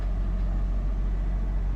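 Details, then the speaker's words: Suzuki Ertiga new model that cranked but wouldn't start (no ECM fault codes, fuel reserve light blinking), now running after repairing fuel pump wiring at the fuel tank chewed by a rat and shorting; low, even idle hum with no stumbles or ticks; normal idle. "Finally friends देखिए car start हो गया तो ऐसे ऐसे problem आते देखिए अभी wire कटा हुआ था"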